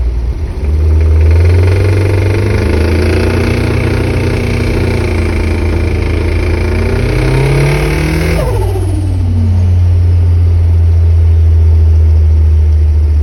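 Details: Mitsubishi 4G54 engine revving up and down: a dull, regular knock that follows engine speed, from a spun No. 3 big end bearing (rod knock).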